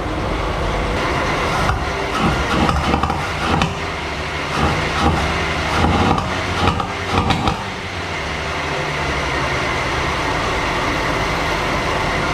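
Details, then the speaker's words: 1937 Chevy inline-six barn find: lumpy running with irregular pops and stumbles, then steadier; lean popping back through the carburetor from wrong firing order. "So we were able to putt-putt around the parking lot, but it was running terrible. It was lean pop, like backfiring through the carburetor."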